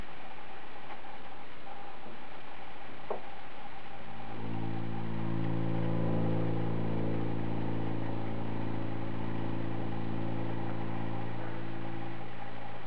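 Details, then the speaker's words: Toilet tank refilling after a flush: after quiet, a steady low drone as supply pipes vibrate (water hammer). Owner suspects the fill valve. Cause unconfirmed. "If you didn't hear that, it's known as water hammer. And we're going to deal with that, because, hey, what a pain in the arse. Makes it feel like your house is going to blow up any second."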